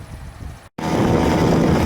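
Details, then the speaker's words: Flea-market bicycle with small two-stroke engine (size unknown), after clutch cable replacement and fender/tire adjustments, on test ride: steady even buzz with wind rush, running and moving well; some chain rubbing noted. "all right it's running uh moving pretty good i don't know how fast we're going"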